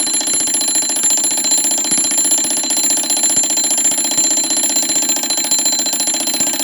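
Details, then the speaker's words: Seth Thomas automatic 8-day long alarm clock, model 89 movement, alarm going off before being silenced by the lever: rapid bright continuous ringing with steady hammer rate, no hesitation; normal alarm bell ring. "silenced there you go automatic 8 day long alarm now i've silenced it just by moving the lever to the right and then releasing it"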